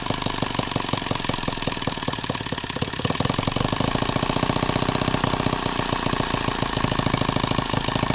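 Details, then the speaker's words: Microcosm H76 small model engine on first start, carb fed with fuel and throttle cracked open; pops and stumbles unevenly, firing rhythm breaking up and recovering; the spark plug was found drowned in fuel. "well there's our spark plug and yeah it's just drowned in fuel I wish I had a better way to show you guys but it's just I mean how it's soaking wet"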